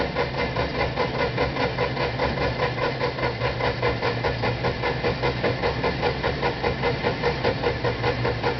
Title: Citroën 2CV6 Club won't start